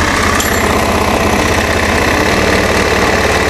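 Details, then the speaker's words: Fuel-injected Honda Beat scooter just started cold, not yet warm; idle stays high with a fast, busy hammering beat that never drops, indicating a sensor problem. "Coba kita dengerin ini kan rpm nya naik ya rpm nya tinggi kalau dia nggak turun-turun Berarti ada masalah di sensornya"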